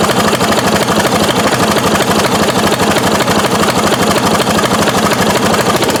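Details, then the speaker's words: 1993 Craftsman LT4000 riding mower, first start after sitting 4 years, choked: small single-cylinder engine chugging roughly at about two pulses a second as if about to die; owner suspects it ran out of gas or a bad air filter choked it. "Probably ran out of gas. Should check to make sure that thing isn't leaking again. Oh, doesn't look like it. Or maybe the air filter choked it out."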